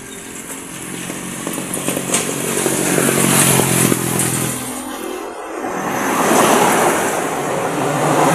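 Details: One-year-old YTX motorcycle that had suddenly stopped and would not start, running after compression returned from about 50 kicks and the spark plug was refitted: single cylinder firing at a steady, quick, even beat with crisp exhaust pops.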